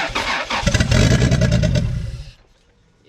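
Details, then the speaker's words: Toyota 2JZ-GTE VVTi, stock ECU, running outside the car with cleaned MAF plugged in: catches and revs unevenly in rough bursts for about two seconds, then stalls; owner suspects vacuum leaks affecting the MAF. "Don't want to stay running. Don't want to stay running with the math fan. But that's cuz you know math cars any kind of leaks which there might be some vacuum leaks."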